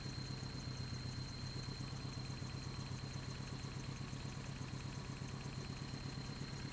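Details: Just-bought Toyota 4Runner 22RE, cold start and rev, filled with 5W-30 oil: steady rapid knocking, about three per second, over a low idle rumble. Owner suspects timing chain and/or rod knock, unconfirmed.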